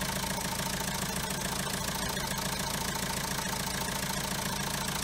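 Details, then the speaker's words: Diesel car with original French turbo, noise began after timing kit, water pump and tensioner were replaced: idle with steady metallic rattle, about two hits a second; metal on metal, turbo shaft broken inside. "اوكي هذاك الحس نتاعو حديد يمس في حديد، هذا طلع المشكل بالضبط في اللاكس نتاعو، في السيجمون تكسر من داخل فهمني."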